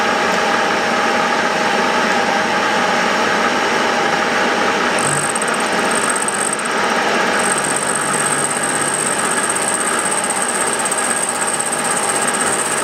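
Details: Milling a vee-block from dense old forklift-tine steel with carbide cutters, an angle cutter and coolant, taking 1 mm cuts: a steady drone with a fast rattle near four per second and a thin high ring as the cut deepens. Chatter from a cheap out-of-round Chinese arbor.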